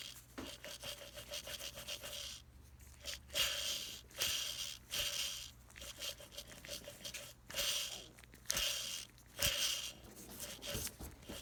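Rough, sawing scrape in uneven bursts over a steady motor hum: a worn fan motor bearing grinding.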